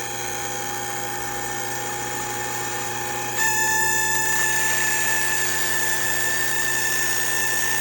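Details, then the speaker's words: Refrigerant recovery machine pulling refrigerant from a 2005 Toyota Corolla A/C system before compressor bearing replacement: steady compressor hum with a thin constant whine, pitch even; recovery unit running normally despite being a little whiny. "We're going to go ahead and start. She's a little whiny, but that's okay."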